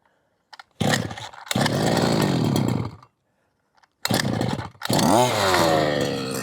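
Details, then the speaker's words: 1/5-scale petrol RC car two-stroke, unstarted for months: fires in short bursts, cuts out, then catches and revs unevenly; low-speed mixture too lean to run, richened low-end needle to get it running. "So it was, strangely enough, it was too lean to even run. So what I'd done was take the low end, sorry, and richen it up a little bit, and that's now made it enough to be able to run."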